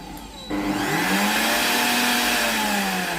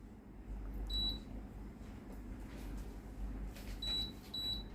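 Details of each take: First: Tefal blender model BL967B66/870 that won't accept panel commands and sometimes shows L6: on test, the blend function still works. Motor kicks on and winds up to a smooth, steady high whine. The motor runs normally. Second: Tefal BL967B66/870 blender with controls that won't respond and sometimes show L6: short, high-pitched beeps as the menu buttons are pressed, menu won't scroll and only blending works; NTC sensor in the jug to be checked.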